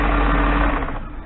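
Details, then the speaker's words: BMW E38 740iL, engine running after main drive belt and A/C belt replacement: steady mid-pitched whine, pulley visibly wobbling; owner suspects the idler pulley is bad and needs replacing. "I guess that noise is that pulley, actually, so that will need to be replaced. And I can actually see it wobbling a little."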